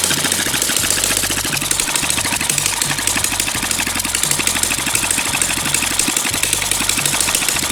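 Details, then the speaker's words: Small single-cylinder water-pump engine, fuel-fuelled and long unused, hard to start; it finally starts and ticks over at a quick, even beat with no misses: normal smooth idle. "Được rồi bạn ơi, cuối cùng thì động cơ cũng có thể sáng êm và bình thường cũng sáng chậm được rồi bạn ơi,"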